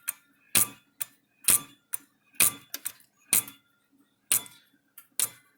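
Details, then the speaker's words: Old Agway electric fence controller: crisp, uneven metallic clicks about once a second with occasional doubled ticks as the balance wheel overswings and hits its back stop, because its small spring is stretched out; the black piece is probably a stop. "let's turn it all the way back there that's it's hitting back there which probably is why that little black thing's there probably stop it from hitting"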